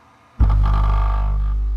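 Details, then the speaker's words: Harmony HA-RD12 dual 12-inch subwoofers on a 50 Hz tone at about 4,300 watts, in a box that seems oddly tuned (about 138 dB): a deep bass blast with a harsh, buzzy edge; the subs are overdriven and distorting. "The subs are sounding terrible, maxing out real bad."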